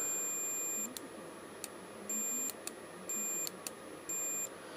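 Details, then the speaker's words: Multimeter continuity beeps, short and high, starting and stopping as the front brake light switch on a Suzuki GSXR 1000 is worked; the switch, believed faulty, now makes and breaks the circuit reliably. "there you go same working fine but I don't believe this has come back to life"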